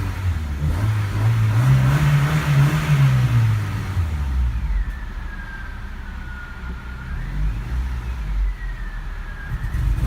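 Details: Honda HR-V with 195,000 km, cold start after three weeks parked at night temperatures down to -10°C: it idles smoothly but stumbles and misfires with uneven revving at low RPM under light throttle, which goes away once warm.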